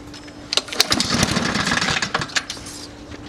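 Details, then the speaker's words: Free roadside Honda-engined lawnmower pulled on the recoil starter: quick ratcheting pulls spin the engine with no firing at all. It would not start because the fuel valve was left closed. "so one slight little thing that we might have missed was this thing the fuel valve Wow oh yeah so it wasn't on so that's why it wasn't going"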